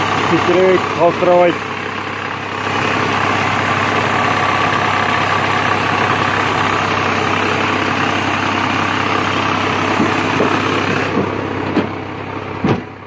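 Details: Mazda Xedos 6 engine at idle: steady hum with a faint, uneven tapping over it; engine knock, source unclear.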